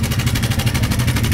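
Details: Loud, fast, steady clatter from the cylinder head over a low engine drone; suspected stretched timing chain slapping its guides, head to be opened for cleaning, oil guessed to be dark and sludgy. Timing chain rattle.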